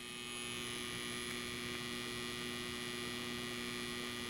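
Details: Tripp-Lite LC1800 line conditioner transformer converting modified sine wave from a Dewalt DCB1800 power station, powering LED TV and air conditioner: low steady electrical hum, no buzz, rattle or chatter; normal under load.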